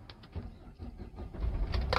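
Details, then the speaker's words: Hyundai Grand Starex 2.5 diesel 2009 automatic, start: brief crank, catches quickly without long cranking, settles into low steady rumble; starts easily and idles evenly. "Okey, tengok steady je enjin. Tak ada crank. Nyek nyek nyek nyek, tak ada."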